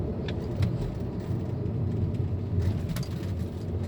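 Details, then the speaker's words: 2008 Volkswagen Passat on a road test above 60 km/h after hub bearing replacement: a steady low cabin rumble with no humming or droning tone riding over it, whereas the whooo noise at 60–80 km/h was there before; now normal. "많이 좋아졌네요 특별히 뭐 저쪽 문제 없는거 같아요"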